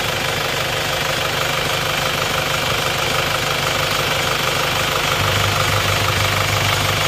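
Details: Isuzu Panther 2.5 diesel after engine repair, warm idle after a 40 m drive without thermostat: steady even clatter, about three pulses a second, no stumbles or knocks, oil-filler smoke seen before now gone; normal idle, blow-by cured.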